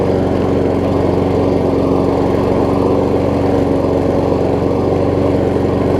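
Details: Troy-Bilt self-propelled mower with donor Honda engine replacing blown Briggs, after restart; smooth even fast single-cylinder beat, no misses or surging; seems a tiny bit low on compression but runs good.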